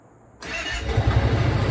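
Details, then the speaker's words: 2003 Kawasaki Teryx UTV, 2,500 miles, rebuilt engine, just fitted with a new, smaller Walmart battery: quiet, fuel pump primes, then the engine catches at once and settles into a steady, even idle; clean normal start. "Right up, baby. The old green monster's running."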